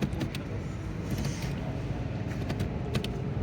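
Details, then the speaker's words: 2020 Honda Civic after replacing the faulty CVT fluid temperature sensor (DTC P0713, gear light flashing); code cleared, engine started and in gear; smooth steady low idle hum; normal. "ये अल्हम्दुलिल्लाह गाड़ी clear है हमारी।"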